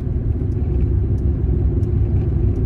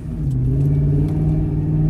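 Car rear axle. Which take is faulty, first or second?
first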